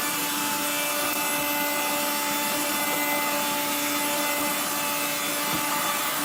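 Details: 1970s blue Regina Electrikbroom 3-speed vacuum, just arrived, vacuuming a floor. The motor and especially the fan are dry after someone washed it. A rough, gritty grinding runs under the steady motor and fan whine, given as motor bearing noise.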